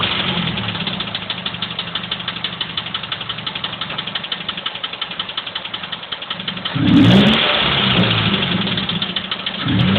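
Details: Mazda 3 with sharp, regular ticking or clicking about four per second over a smooth idle, continuing as revs rise; source not pinned down.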